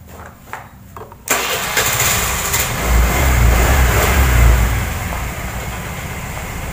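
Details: Honda Vario 110 carburetor scooter with a charging fault, after fitting a genuine regulator/rectifier, electric-start test: the starter catches first try, it fires cleanly into a steady idle with smooth throttle blips; normal start and rev.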